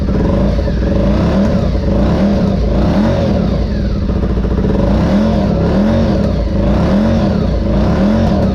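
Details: 2003 Honda RC51 SP2 V-twin, first start after repairing rodent-chewed main and injector wiring harnesses: loud, lumpy V-twin note with a steady throb, running evenly with slight rises in revs. Engine starts and runs normally.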